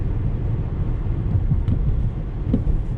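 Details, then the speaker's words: 2009 Mazda 5 minivan driving: low road rumble with dull knocks over bumps, worsening front suspension clunk; owner suspects lower control arm bushings/ball joints. "there's a clunking noise it's been getting worse and worse and worse and it can no longer be ignored"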